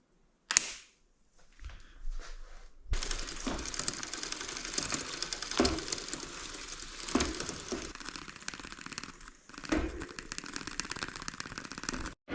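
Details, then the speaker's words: Bicycle with the wheel spinning: a steady dry scraping plus light ticking as the chain rubs on a Chinese-made chain guide/tensioner device. Adjusting the device removed the sound. "Звукът, който чувате, е от ето тая машинка тука, понеже е китайска и опира ето точно ето тук. Веригата опира в нея."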